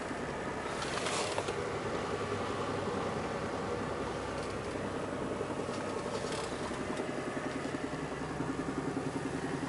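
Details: VAZ 21124 1.6 16-valve petrol: dull, quick tapping about three to four per second at cold idle from the timing-belt side (right side from the cabin); fades as the engine warms, sometimes at 1500 rpm in first gear, stops with throttle; cause unknown.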